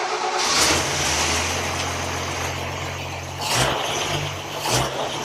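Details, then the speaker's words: Toyota FJ40 with Holley Sniper fuel injection and CD ignition box, timing map not yet set, started from the key: fires up quickly, settles to steady low idle, two clean throttle blips; healthy start. "she fire that up fires up real quick which is really nice because it doesn't even have the timing map really set yet"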